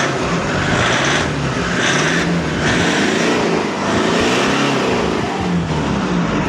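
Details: Toyota Hiace after alternator pulley repair, previously a loud cricket-like squeal from the front: engine rises and falls cleanly through several revs with no chirp or squeal from the belt side; normal running.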